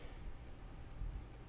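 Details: 1955 Ford original electrically wound dashboard clock, revived with WD-40: crisp, even ticks about four or five per second with steady spacing over a quiet background; mechanism running freely.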